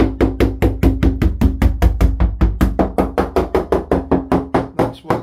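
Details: GRP yacht with balsa core, after a collision with a post: sharp, ringing hammer taps about two or three a second, crisp and solid with no dull thud, showing laminate in this area is well bonded, unlike the delaminated impact zone.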